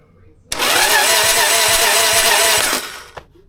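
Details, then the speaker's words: 2002 Harley Sportster chopper after a full rewire, plugs out, strong spark: the starter whirs quickly and evenly for about two seconds with no clutch noise; it can't overcome compression with the plugs in, so the starter is the fault. "So, it'll turn over with no compression and the clutch isn't making any noise. So, that tells me that it's definitely the starter."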